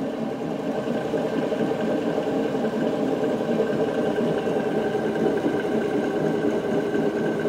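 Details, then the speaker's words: Very used Denis Cimaf 180D forestry mulcher head on skid steer, drum spun by electric motor with hydraulic motor separated; steady rumbling drone with gritty undertone from bad drive/pulley-side bearing, other side sounds normal; bearing to be replaced. "If you hear that noise there, that's the bearings."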